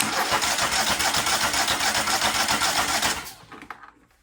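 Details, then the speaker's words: Craftsman DYT 4000 riding mower twin-cylinder engine running: sharp rhythmic puffing, about three or four chuffs a second, from a head gasket blown only on the bottom; owner thinks it goes away when warmer. Blown head gasket. "I'm pretty sure, I mean, you guys just saw it puffing right now. I think when it gets warmer, it goes away."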